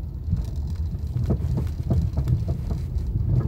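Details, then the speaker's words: Car driven over potholes: dull, irregular clunks over low road rumble, knocking on both sides; attributed to worn sway bar links rather than shock absorbers. "un golpeteo no que golpea los dos lados esos son los suele ver links"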